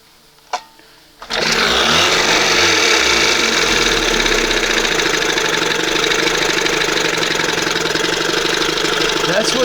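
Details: 1971 Johnson 20 hp two-stroke outboard after swapping the failed OMC primer pump for an older-style carburetor, with the choke/carb opened slightly at the start position: a sharp cough, then it catches into a steady, busy buzz with even firing. It starts healthy but won't idle down yet.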